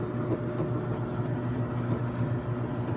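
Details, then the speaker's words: Kenmore stackable front-load washer and dryer running: steady low hum with even drum rumble, no knocking, scraping or squealing; working normally with no issues. "so it's a nice looking washer and dryer as you can see no issues it's working good you hear that dryer"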